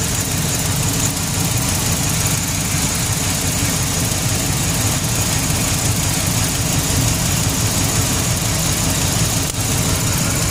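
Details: GMC Sierra with an LS V8 idling with an uneven, lumpy beat and the odd stumble, a misfire at idle; spark plugs or ignition coils are suspected, cause not confirmed.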